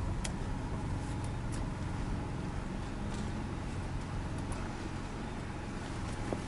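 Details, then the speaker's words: Toyota Corolla on a test drive over potholed roads after repairs to the suspension noise and oxygen sensor: even tyre road hum, with no knocks or clunks from the suspension; noise fixed. "e para os barulhos mas eu não tô escutando mais nada"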